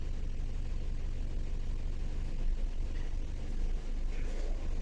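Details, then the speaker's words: 2014 Nissan Sunny with knocking and vibration, no fault codes, idling: lumpy low idle with uneven stumbling beat and wavering speed; power balance test with scanner shows one cylinder misfiring from a faulty ignition coil. "तो cylinder बंद करने के बाद गाड़ी का PM बहुत ज्यादा don हो गया था"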